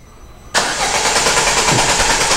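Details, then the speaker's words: Citroën C3 that stopped while driving, no scanner codes: starter spins engine at even steady crank, no firing; oscilloscope shows no crankshaft position sensor signal, sensor to be replaced. "motor tá dando tá virando lá para o senhor tá virando mas não temos sinal nenhum"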